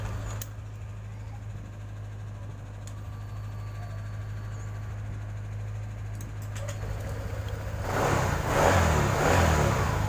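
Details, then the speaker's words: 2018 Honda Vario 150 scooter after cleaning the starter relay contacts with carb cleaner (it previously would not crank, relay only clicked): fires promptly, steady low idle hum, picks up cleanly near the end; starting fault fixed, normal start and idle. "matikan terdengar Mas Bro statennya alhamdulillah sudah bisa sekali lagi oke Alhamdulillah permasalahannya sudah beres sekarang kita matikan"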